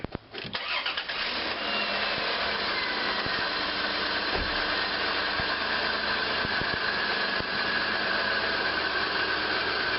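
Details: 2000 Dodge Caravan 3.0L minivan after alternator replacement: brief crank, catches right away, smooth even idle with no squeal or knock; voltage rises to 13.8 V, about 4 A charging; normal start and idle.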